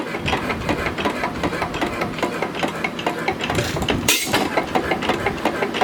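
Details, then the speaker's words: Small antique engine mounted on equipment meant for a 3 hp Fairbanks engine, run slow: slow lumpy chuffing with one loud pop; backfiring. "it runs really well it backfires a lot but you know it's a pretty good little"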